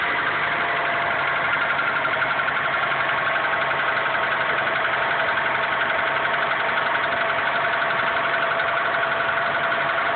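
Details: 2001 Honda Accord cold start: steady light knock about four per second over smooth idle, lasting only briefly then gone completely; source unknown.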